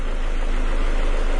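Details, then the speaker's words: 2000 Ford Escort that stalled at red lights with a confirmed lean condition, after finding the fault: steady, even low idle rumble with no stumble, hunting or dips; normal idle, runs much better. "the engine hasn't stumbled or anything since I found this it runs a lot better"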